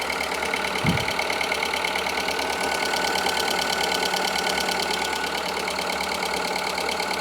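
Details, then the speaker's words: Audi A2 1.4 16V AUA after a timing belt and water pump replacement (the old pump burst): an even, steady idle with a quick light patter and no misses, knocks or rattles; it runs smoothly. "and it's running quietly oh my God okay this is exciting it's running it's smooth sounds a lot better than it did before"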